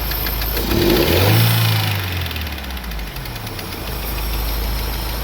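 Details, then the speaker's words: Daewoo Nexia petrol engine idling then revving, a light rhythmic tick following engine speed that comes and goes, camshaft-like knock; engine otherwise runs fine; camshaft replaced three times without cure; worn valve guide. "Bir yo'qolib qolyapti. Bo'ldi o'chiramiz. Stok bir paydo bo'lyapti."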